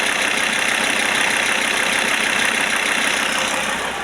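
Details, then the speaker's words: Audi A6 C4 2.5 turbo diesel, about 600,000 km, warmed to 50°C, idling: faint, even "tsok tsok" tick near the injection pump, comes and goes, quieter now; owner unsure if pump or injection equipment; turbo worn and smoking. "у неё есть какой-то цок цок цок цок цок"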